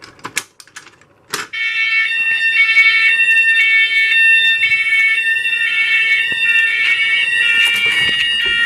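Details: Fire alarm test after rewiring the basement signals to support audible silence, triggered from a pull station; piercing electronic horns blare in a steady rhythmic pattern; the alarm system works as it should.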